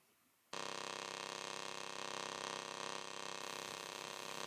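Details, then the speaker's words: Pulse TIG welding on a rocket stove pellet holder, 58 A peak, 10 A base, 33 pulses a second, 33% background: rough, steady buzz pulsing almost like AC; normal pulse TIG sound. "this really strange buzzing noise you're hearing, it sounds like I'm almost welding an AC, but it's the pulse, jumping between 58 amps and 10 amps."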